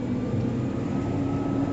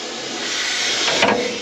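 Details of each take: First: Combine rotor after loose flat iron was cut out of the cone, test run before reassembly: steady even hum rising as the rotor spins up, no knocks or bangs; runs clean, good to go. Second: Combine during corn harvest: steady harsh hiss of the running rotor with a rising metallic scrape near the end; bolt missing, so loose flat iron rides up the cone to the top of the rotor and hits it.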